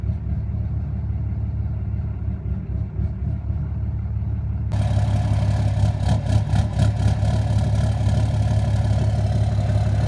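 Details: 2013 Cummins 6.7 diesel, fully deleted, at idle. The idle wavers and pulses unevenly, with a louder clattery knocking stretch; no check-engine lights, and the FCA was replaced without help. It runs fine at open throttle; the cause of the rough surging is unknown.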